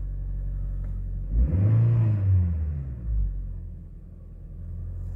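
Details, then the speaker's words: Toyota Auris/Corolla E15 1ZR-FE with an Avensis electronic throttle body fitted in place of a 60 mm Subaru unit: idles low, then revs freely in one quick blip and drops back cleanly, where before it would not rev past about 3000 rpm. "Tuntuu ainakin heti. Joo, reagoi kaasuunkin."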